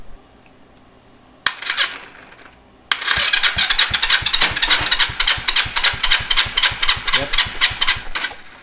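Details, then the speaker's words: Yamaha XS400 project bike, compression test reading 210 on both cylinders; steady, even cranking beats three to four per second, each stroke equally hard: strong, balanced compression between both sides. "So the good news is that we can do this test and our results are equal between both sides, which is what you want."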